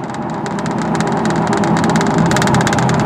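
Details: 2000 Chevy Blazer with a misfire that had set a P0300 code: road test with steady engine pull under load, even firing and road and cabin rattles around it; no stumble or miss.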